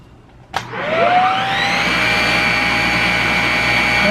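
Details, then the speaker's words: Shark Rocket upright vacuum with low suction, heavy hair buildup on brush roll and suspected clogs in tube; click at switch-on, whine rising to steady high hum, motor and brush roll spinning freely; normal brush roll operation. "we're gonna go ahead turn it on so be prepared for a little bit of racket but we'll see if that turns"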